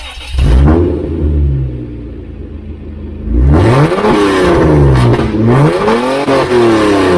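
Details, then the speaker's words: Toyota Land Cruiser with catalytic converters removed and a straight-through aftermarket muffler, revved in a shop: deep, booming, raspy blips measured at about 137 decibels; excessively loud exhaust. "all right whoo that's loud 137.1 decibels so uh that's not good that's pretty loud"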